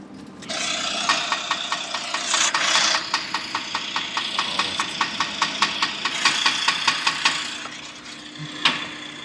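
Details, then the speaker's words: H100 engine, owner suspects a bad bearing: it starts and idles with a loud, sharp metallic knock about two to three times a second, a bearing knock. "okay so what we've got here sir what h100 I window D for BB engine with a possible bearing look we just want to show you guys how to get rid of this bearing look terrible terrible bearing up"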